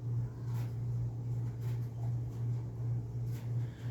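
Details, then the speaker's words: Thorens TD124 turntable during restoration and mechanical service: a quiet, steady low motor hum with no knocking or scraping; the belt and pulley drive and idler wheel run smooth, a normal turntable drive. "Right, so it is impressive. So this belt seems to be working perfectly."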